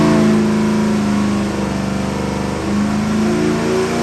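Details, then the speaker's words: Ford 427 stroker small-block crate engine, carbureted Holley 750cfm, 535 hp, forged internals, pulling under dyno load with AFRs on target: deep even clean V8 note, no knocks or misses; healthy. "Our AFRs are right where I want them. We're gonna give you a nice dyno."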